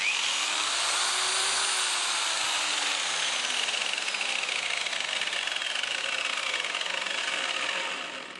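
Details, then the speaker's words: Stern angle grinder running with a loud, jet-like high roar and whistle from a dry, unlubricated gearbox that needs greasing. "Kad se kutna brusilica uključi, čuje se karakteristična tutnjava, slična radu zrakoplovnih motora."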